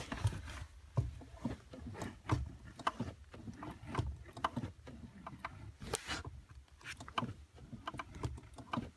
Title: Squeaking Sound on clutch 2015 Subaru WRX STi